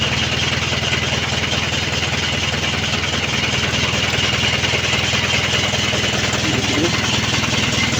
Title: Mitsubishi canter 4D33 engine crank but no start